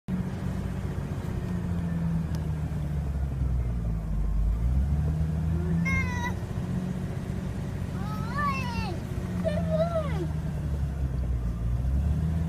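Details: 1998 Jeep XJ Sport petrol idle, no check engine light, after new IAC, TPS, plugs, wires, cap, rotor, fuel pump, air filter and throttle body cleaning: low uneven wavering rumble, evens out near 1000 rpm after throttle; rough idle; owner suspects IAC.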